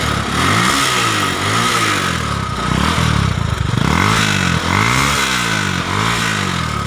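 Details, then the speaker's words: Honda motorcycle that would not start: after spark was checked and the plug refitted, the engine fires on the kick and keeps running, revs rising and falling smoothly with throttle blips; the fault was the ignition key switch. "Oke teman-teman motornya udah hidup Ya"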